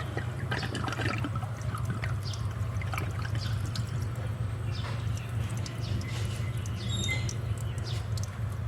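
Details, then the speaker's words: Fujika water pump cycling on every 40 seconds: steady trickle and splash of water flowing back out of the cut pipe; the failed bypass check valve lets pump water backflow toward the meter. "อันนี้มีน้ำไหลย้อนออกมา"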